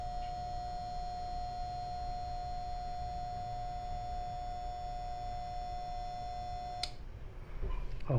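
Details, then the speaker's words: Panasonic refrigerator compressor heard from the back: a steady, strained electrical hum for about seven seconds, then a click as the thermal overload protector trips on excessive heating and rising current. "esse barulho é o protetor térmico atuando. Ele tá identificando que existe um aquecimento excessivo."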